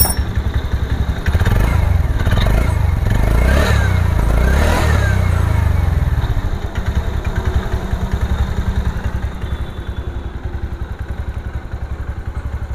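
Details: TVS Ntorq 125 BS6 125cc scooter with idle rpm being adjusted: a brief rev falls back to an even idle, neither hunting nor surging; the idle speed is now neither too high nor too low, properly set.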